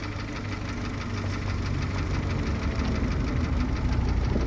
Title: Стук двигателя киа оптима 2.0